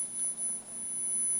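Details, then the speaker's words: 1984 Infinity RS 6/B speaker driven with about a 10 kHz test tone: thin, steady high tone from the tweeter alone, showing tweeter, mid-range and woofer are good; only the woofer needs new foam surround. "The mid-range isn't really making that noise, nor is the woofer. All that's coming from the tweeter. So that tells you that all three of these drivers are good, and that all this needs is some new foam for the woofer."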